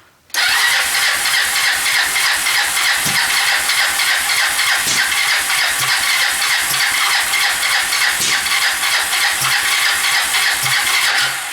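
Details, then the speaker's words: Kawasaki Lakota 300 first start after top end rebuild, in neutral, on choke; uneven lumpy ticking beat about three per second; sounds out of time, later found cam timing set 180 degrees out. "Man, it sure sounds like it's out of time."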